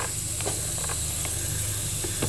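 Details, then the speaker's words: Pressurized boost leak test on a turbo engine. A steady airy hiss with faint spitting; checking near the throttle body traces the leak to the gasket on the intake elbow. "no it appears to be the actual appears to be the actual gasket on that elbow"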